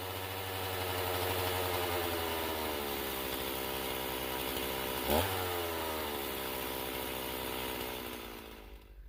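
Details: Stihl MS391 chainsaw coming off full throttle after cutting test wood: revs hang high and uneven for several seconds before falling to idle; tach read only 11,600 rpm without hitting the rev limiter; hanging idle, cause not confirmed.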